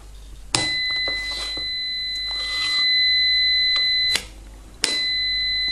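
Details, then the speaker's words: Piezo buzzer driven by frequency, fed the small alternating output of an ESR meter, gives a clean, steady high-pitched tone twice, working correctly; shown to distinguish frequency-excited from voltage-excited buzzers. "como podéis oír Este zumbador funciona correctamente y funciona por frecuencia"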